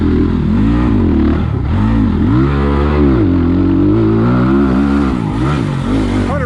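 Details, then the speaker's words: 2020 SSR Motorsports SR300 dirt bike with Lectron carburetor, ridden on muddy trail under load: clean, crisp revving rising and falling smoothly with throttle, no misses or stumbles; normal engine under load. "better you guys can probably hear it yep this electron carb kills it on this bike"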